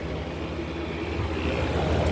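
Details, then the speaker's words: Kenmore Cool N Lite (GE Carry Cool) window AC, rotary compressor, after oiling fan bearings: steady low hum with even whoosh, no rattle or scraping; compressor and fan running smoothly, fan sounds good now. "on the other side I took a hug look to it and fan sounds good now"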